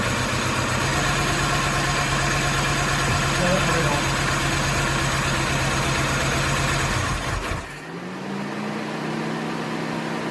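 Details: Mini after head gasket and timing chain reassembly, first run on a chilly day: steady even idle with smooth regular beat, no knocks or misses, then drops quieter; engine runs healthy.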